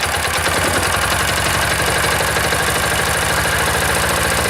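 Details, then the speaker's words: Old single-cylinder diesel, started with decompressor, outdoors at about -5 to -7°C: steady even idle thump with no knocks or stumbles, ran about 10 minutes; healthy. "Pretty happy there anyway. So diesel smells horrible. Well, I guess that's pretty good. Sat there for about 10 minutes running. That's pretty good."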